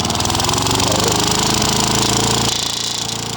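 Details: Old Victa mower with Tecumseh TVS90 single-cylinder engine, test run at full throttle after replacing engine mounting bolts, with a small fuel bowl seal leak: rapid, regular firing with no misses or knocks; sounds healthy.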